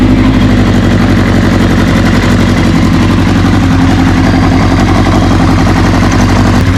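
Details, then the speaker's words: 1981 Kawasaki KZ750 LTD inline-four idling while warming up after a manual cam chain tensioner replaced the OEM automatic one: even, steady idle with a smooth low burble and no top-end tapping; normal idle. "sounds better all right so going to let it warm up I really don't hear anything"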